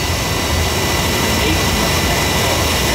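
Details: Oil burner that ran briefly then shut off making black soot, refired after a good cleaning and draft adjustment; steady even roar, no puffing, pulsing or rumble; stable flame, working better.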